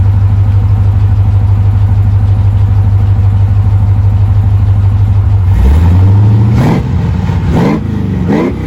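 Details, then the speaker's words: 1988 Chevrolet Suburban V8 with camera propped up: steady, even idle then a few clean blips rising and falling smoothly, no knocks or misses, normal healthy revving. "But anyway, I'll put the camera back here so you can hear a couple of revs. It sounds pretty good."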